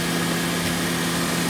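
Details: 2014 Honda Odyssey, 202,000 miles, after water pump and timing belt replacement, started before test drive: steady even idle hum, constant low tone, no knocks or misses; sounds healthy.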